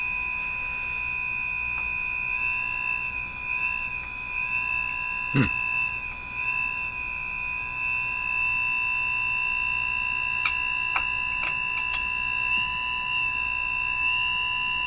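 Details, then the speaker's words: Northern Electric Baby Champ tube radio, IF-frequency (455 kHz) interference test: high thin whistle wavering in pitch over faint hum, garbled; owner guesses an audible IF oscillation heterodyning, garbled by hum intermodulation, three bad capacitors still fitted. "then begin to hear the Hine and that's why the pitch is going up and down up and down it's a Hine you know the distance between the two signals is changing um the reason it's garbled is because there's some inter modulation due to hum coming in the picture too"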